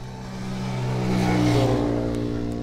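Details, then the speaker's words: CG125 motorcycle after chain noise fix using a cut rubber tube: engine revs smoothly with a clean steady tone and no chain slapping or rattle; drive now quiet and healthy. "तो है दोस्तों यह बिल्कुल simple सा तरीका को इतना मुश्किल नहीं और इंस्टाल आपकी गाड़ी चैन दोबारा कभी भी आवाज नहीं करेगी"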